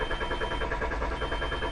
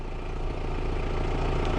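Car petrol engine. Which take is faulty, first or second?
first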